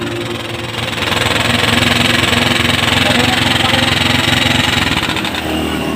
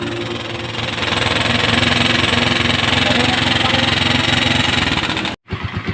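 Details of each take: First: Motorstar Star X125 converted to 150cc, timing gear already replaced, before cam follower swap: rapid sharp metallic ticking about three clicks a second over the idle; suspected worn cam follower or rocker arm, not confirmed. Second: Motorstar Star X125 converted to 150cc, after installing new timing gear and PAG cam follower to cure noisy top end: steady single-cylinder idle with even putt-putt near ten beats a second, no ticking or clatter; runs clean.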